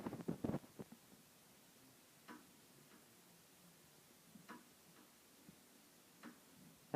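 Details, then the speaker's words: Halsey Hugger ceiling fan, rarely used, running on low: light, irregular ticks every second or two over a quiet hum, from loose blade arm screws. "sound you're hearing is the screws for the blade arms have sort of came loose I haven't really bothered to fix it because this fan has never really used"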